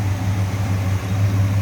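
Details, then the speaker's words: 1966 Ford Fairlane 500 GT convertible, 390 V8 S-code four-barrel, heard at open engine bay; deep even steady idle burble with no misses, knocks or ticks; smooth running. "also sounds good a little strange noise with just a smooth running engine again 390 that's what this car would have came with four barrel on it"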